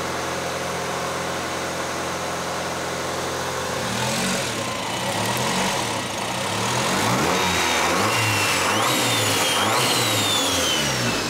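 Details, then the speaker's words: Honda Civic D16 turbo, first start after new turbo kit installation, after fuel was taken out of the rich mixture: steady idle then clean blips rising and falling, no misses or stumbles, no leaks; normal idle and revving. "good sounds good all right it's going really well no leaks"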